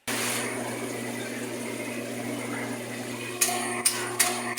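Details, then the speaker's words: Magic Chef washing machine: a steady electrical hum then four clicks as the motor stops and shuts off during spin/drain. Worn bushings keep the rotor from turning freely; the fix is new motor bushings. "cuando tiene que hacer el exprimido o sacar el agua no aguanta el motor de repente se detiene y se apaga"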